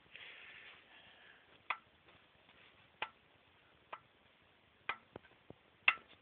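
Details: Toyota Probox engine, removed after overheating, turned slowly by hand: sharp single knocks about one a second; piston slap from badly scored, blue-spotted cylinders, a gap visible at the rings of cylinder one.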